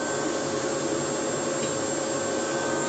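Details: Water supply pump that made an odd sound on startup, checked by an electrician: smooth constant hum with a clean steady tone and no knocking, rattling or surging; the pump runs normally.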